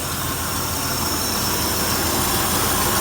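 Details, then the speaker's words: Ford F-100 just started after a tune-up with new plugs and wires: steady, even idle with constant hiss and hum, no ticking or clicking, not smoking, though it smells of gas. "oh it started right away oh it sounds really smooth"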